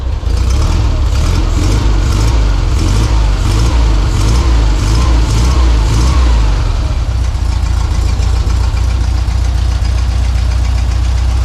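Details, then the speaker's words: 1952 VW barn door bus, 25hp air-cooled flat-four, cold on choke after engine rebuild, fixed by setting fuel reserve switch to on: steady, even low chug with no knocks or misses; normal idle. "Pretty good. The problem was the fuel reserve switch. I had it on off position instead of on. Anyway, it's running. Sounds good."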